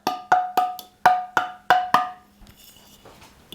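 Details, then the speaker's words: Spoon test on a Tattler reusable canning lid: seven sharp taps, each leaving a ringing, vibrating ping instead of a solid tick, showing this lid has not sealed. "Now, to give you a comparison, this lid is not sealed. So you can kind of hear the vibrations."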